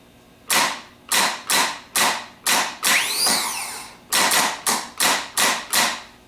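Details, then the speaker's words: Rebuilt Ford PMGR starter bench-tested on the ground with jumper cables to a battery, bridging small to big post: about ten sharp whirring bursts with a snap each and one longer wind-up; Bendix engages and throws back cleanly, no hang-ups. "And what we usually do first is we do a series of short bursts so that we can see that the Bendix is snapping in and throwing back quickly. No hang-ups."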